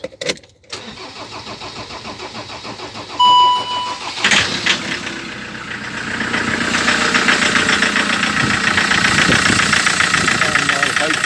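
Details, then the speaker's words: Land Rover Defender TDCi diesel with a replacement engine, original pump kept: short crank, then idle with a quick steady metallic rattle, identical to the old engine despite head work and new injectors; cause unknown. "hope you can hear the rattling of it. Now that is exactly the same as the old engine that came out."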